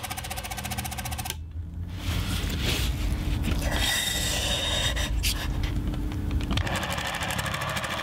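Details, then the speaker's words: Vintage Bolex cine camera (1958 B8L standard 8 or 1968 155 Super 8 Macrozoom) motor running before disassembly: a rapid rattling chatter and harsh, uneven whirr with squeaking; the mechanism is dry, with mould inside, and needs a lot of lubrication. "Yeah, let's see, that's the sound of one that needs a lot of lubrication."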